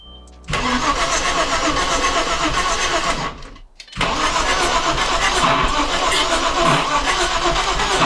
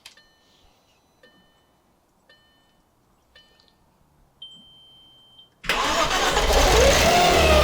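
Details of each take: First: Audi B5 S4 first start after timing job and reassembly: long rough cranking sputters unevenly, then a pop and stumble as it tries to catch; backfire blamed on timing being off, fuel pressure present. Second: Audi B5 S4 after timing job and reassembly, with ignition control module wires corrected and intercoolers not hooked up: a few soft chimes, then it cranks, catches sharply and runs. It later died.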